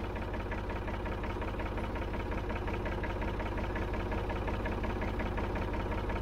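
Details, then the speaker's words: 1965 Ford 3000 diesel tractor, first start after about 10 years sitting: heavy, even clatter about three knocks a second over deep idle; loud diesel knock, cause not found; lift arms and PTO work. "all right so it's alive it's alive very noisy but alive"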